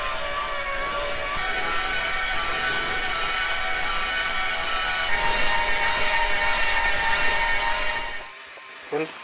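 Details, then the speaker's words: Second of five reputable-brand e-bike mid-drive motors tested on a home-trainer bench at constant motor power with professional audio recording: a strong, steady high-pitched whine; loud, aggressive and harsh. "ja das war schon ziemlich laut ich fand alles was stören das war so ein hohes frequenzspektrum auch er hat sich so sehnt angehört"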